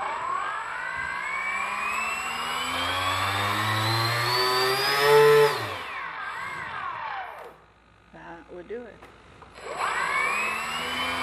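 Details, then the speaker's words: Dynam Grand Cruiser (Cessna 310) electric RC plane after a crash, throttle test on the ground: motor whine climbs, cuts out abruptly, then ESC warbling beeps and restart; owner suspects bad ESC, motor or both. "it here beeping so that's basically what happened to this plane I don't know if we got a bad ESC or a bad motor or some combination therein"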